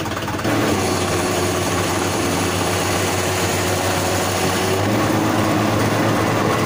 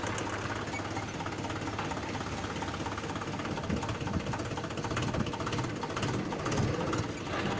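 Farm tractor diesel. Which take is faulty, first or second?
first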